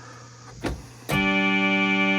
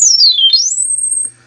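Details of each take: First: Siel DK600 synthesizer playing chords with one voice, note two, barely audible among the others; the voice is there but very quiet, suggesting the oscillator chips work; cause suspected, not confirmed. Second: Siel DK600 synthesizer under repair, filter resonance turned up: a pure whistling tone dips, then climbs and holds high and steady, normal filter self-oscillation, so the fault likely lies after the filter.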